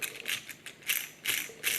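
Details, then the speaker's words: WPL B24 RC truck gearbox, input pinion twisted by hand: each twist gives a short burst of loose, clattery ticking, a grinding sound showing huge gear backlash; owner fixes it with small 3 mm inner-diameter washers. "Ça grignote, ça veut dire qu'il y a un jeu. Écoutez, là je fais ça. Enfin, il y a un jeu énorme."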